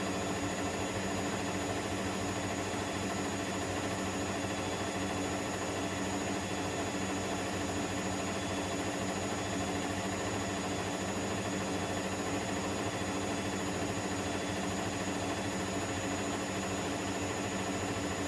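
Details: Electrolux EWF10843 washing machine spinning at 800 rpm with only 2 pieces of clothing, making a loud, steady droning roar with many fixed tones at constant volume through the fast spin.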